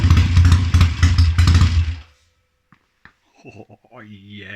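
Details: Triumph Tiger 90 350 twin with strobe-timed electronic ignition, running again after restoration: crisp twin barks through quick blips, picking up and dropping back cleanly. Runs and revs healthily.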